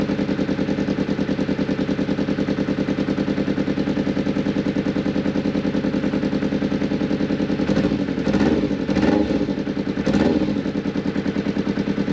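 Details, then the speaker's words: Newly bought motorcycle idling around 8 a.m. with a blowing exhaust, no rattles and fairly quiet. Uneven chuffing idle with a puffing, blowy edge on each beat and no mechanical rattle; exhaust leak. "So yeah, the exhaust is blowing, but you can't hear any rattles, can you? Sounds pretty quiet."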